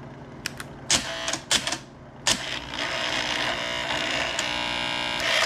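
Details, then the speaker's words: Bell & Howell Slide Cube RF60 projector, secondhand with worn parts: uneven bursts of clicking and clattering as the slide mechanism cycles in reverse, catching only sometimes; the reverse mechanism is slipping and unreliable. "doesn't want to go backwards very well it does sometimes but not all the time"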